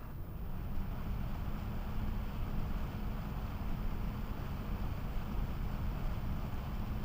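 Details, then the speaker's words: GVM PR 150R LED monolight, believed to be 150 W, fitted with a replacement DC fan, recorded from about 5–10 feet. A steady whir with a faint low hum, sounding roughly the same as the stock fan, possibly about 2500 RPM. Loud cooling fan noise. "So my comment would be that it sounds approximately the same as the fan system that came with the light itself."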